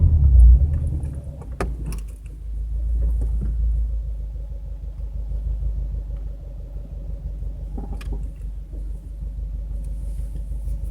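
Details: Subaru WRX driving; occasional sharp pops and creaks from the front, on the driver side of the engine bay, over the low rumble as weight shifts at stops, pulling away and bumps, new since a turbo replacement.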